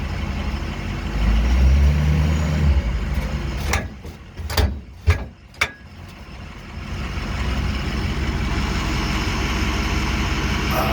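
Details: One-year-old Demco Recon fifth-wheel hitch mounted via gooseball in the bed of a 2006 Ford F350 6.0 diesel; sharp metallic pops when driving, taking off, braking and turning; hitch plate not moving on bed; owner suspects something broken.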